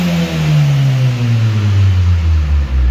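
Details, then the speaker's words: Audi TT with aftermarket exhaust, bonnet open: revs rise smoothly and drop back, deep even exhaust note without knocks or misses; sounds good, though owner says it hesitates at high revs and hard acceleration, suspecting fuel delivery or spark issue. "So yes, she sounds good."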